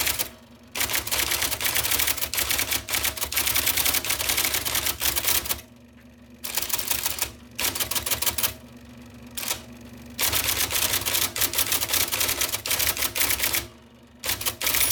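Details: 1979 IBM Selectric II (non-correcting) typewriter, restored after a miswired plug, cleaning, flushing and lubrication: rapid crisp clacks in quick bursts with brief pauses, even strikes throughout; normal typing.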